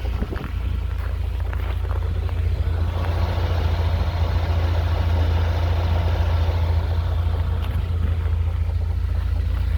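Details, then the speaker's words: UAZ engine at idle with a steady deep rumble and a dull knock about three to four times a second; the knock appeared recently and seems nearer the driver's side. "появился вот такой стук Надеюсь будет слышно водительской стороны как будто где-то ближе"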